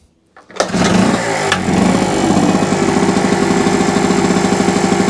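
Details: Small camping generator after a carburetor clean and new spark plug, still needing choke: catches after a couple of pulls, then settles into an even, steady beat with no misses or hunting. Normal running.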